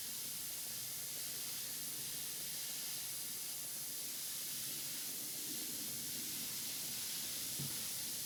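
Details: Wilesco D455 toy steam engine, warmed up and at pressure after refuelling: a steady, soft, airy hiss with no knocking. The safety valve has lifted and is venting steam normally.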